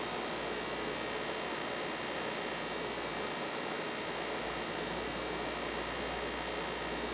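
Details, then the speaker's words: PS5 console cooling fan during disc game play: even, steady airy whoosh with faint low hum, no rattles or pulsing; normal fan noise, though consoles with the Nidec fan model tend to be loudest. "so now you know what exactly your ps5 should really sound like if you notice that your ps5 seems particularly loud it could be that it was assembled with the nidec model cooling fan as this one tends to be the loudest"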